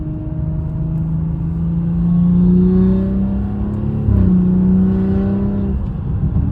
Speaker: ChatGPT, let's make a video for you to see, you know, the noise that it's making and how it sounds when building Boost.